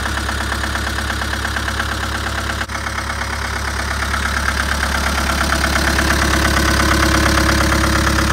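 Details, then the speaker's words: Newly arrived classic restoration project with a diesel engine; it starts quickly and settles into an even diesel clatter at a steady idle, firing regularly with no misfire; normal idle. "But you heard him running. We've fallen lucky in that we've got the diesel engine because a lot of these were petrol back in the day."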